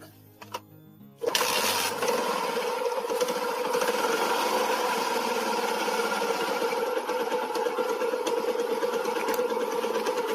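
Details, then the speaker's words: Old first-generation Yamaha Jupiter MX idling with a rough, uneven knocking rattle from the clutch housing that smooths when the clutch lever is pulled; hardened clutch housing damper rubbers suspected. "di bagian rumah kopling sini ada suara Ashar suara jedag jedug kasar seperti itu Nah biasanya itu karet damper rumah koplingnya ya jadi si karetnya itu sudah keras"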